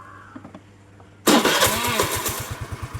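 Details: Suzuki Let's scooter with a starting problem, original CDI replaced by a Suzuki Access CDI wired in: the starter catches and the engine fires at once, settling into a steady pulsing idle; starts normally.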